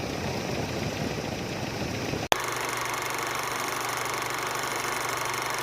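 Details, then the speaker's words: 2010 Chevrolet Captiva petrol engine, 310,249 km, after replacing the belt tensioner pulley whose fatigued spring let the belt slacken and squeal: steady, even idle hum with no squeal or chatter from the belt drive. Normal idle, noise gone. "นี่ก็เรียบร้อยนะครับหลังจากที่เราทำการเปลี่ยนรอบเรียบร้อยแล้วนะครับเสียงเงียบนะเงียบนะครับ"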